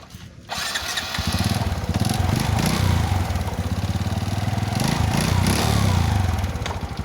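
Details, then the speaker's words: Honda Wave S 110 motorcycle engine: small single revs settling into an uneven, rapid low clatter over the exhaust beat from a worn, slapping piston; piston to be replaced. "of motor that noise of piston,and change it."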